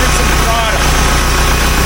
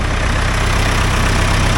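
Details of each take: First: 1975 Case 580B loader backhoe, long-overdue service, before repair: diesel idling with a faint whining, scratching noise like cavitation, felt on the transmission suction line; owner starts with the transmission filter. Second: 1975 Case 580B loader backhoe after annual service: deep, steady diesel idle with even low throb, no knocks, rattles or hunting; sounds much better, healthy.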